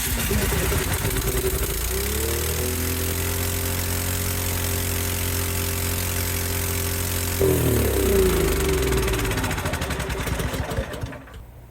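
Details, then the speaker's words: Cub Cadet 528 snowblower after carburetor repair: catches, settles into a steady even idle, revs up smoothly and winds down, restarts; normal running. "But, uh, yeah, starts and runs. So, that's good."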